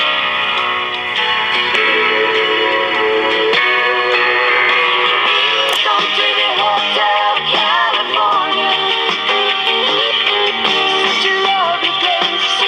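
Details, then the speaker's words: Vintage Cariole portable 8-track player/radio after repair with a low-quality replacement drive belt: music pitch wobbles and sags unevenly, running slightly fast; owner unsure whether it plays too fast or it's just wow and flutter from the poor belt. "I can't tell if it's playing too fast or if it's just wow and flutter from the crappy low-quality belt I used you know"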